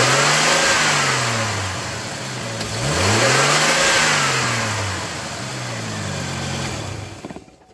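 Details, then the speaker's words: Chevy Trailblazer, engine revved to check for loud whining wind noise blamed on the fan clutch; revs rise and settle cleanly with no whine — normal engine revving. "so yep clearly don't hear the noise and um like i said when you hear that loud whining noise it's definitely the flank fan clutch"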